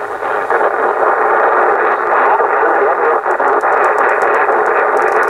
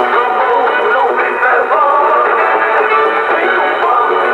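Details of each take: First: Yaesu FT-747 transceiver after no-receive repair, on lower sideband 40 meters: constant hiss with muffled, garbled voices that never tune in, while AM receives fine; distorted SSB reception, cause undetermined. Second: Yaesu FT-747 transceiver after the no-receive repair, on the AM band: clear AM broadcast music and voices with no hiss or dropouts; AM receive works, though SSB still cannot be tuned in.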